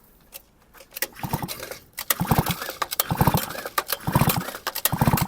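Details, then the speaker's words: Grass trimmer or chainsaw two-stroke that shut off when hot, after replacing blown-out crankshaft seals, pulled over by hand: strong, distinct pops about once a second; crankcase compression and sealing now normal. "Я думаю, відчувається. А тепер дують хлопки такі пух-пух-пух."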